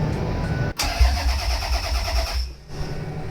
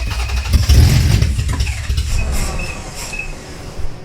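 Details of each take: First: Toyota MR2 with 3VZ V6 swap, first start attempt: starter cranks briefly, then engine catches and runs smoothly for a couple of seconds; normal start. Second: Toyota MR2 project with 3VZ engine, first start: engine catches and stumbles with uneven, lumpy firing and loud bursts; rough running, suspected vacuum leaks between inlet and centre manifolds, not confirmed.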